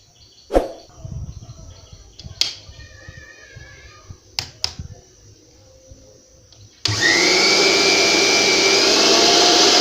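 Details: Mixer grinder that was dead with indicator lit, after repair focusing on the overload switch: a few handling clicks, then the motor spins up to a steady high-pitched whir that holds even; healthy motor.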